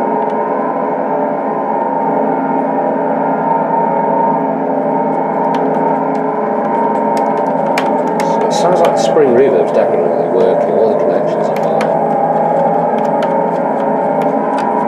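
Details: Mattel Optigan 35011 after preamp op-amp replacement (1558) and hum fixed: constant eerie droning chord with scattered crackles, never dropping out; channel bleed-through, resistor packs or couplers suspected, not confirmed.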